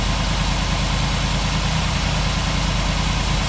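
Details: 1947 Ford street rod V8 idling after the intake manifold and distributor were reinstalled and a leaking water pump gasket was replaced; deep, steady idle with an even rumble and no knocks or misses. It runs smoothly and sounds healthy.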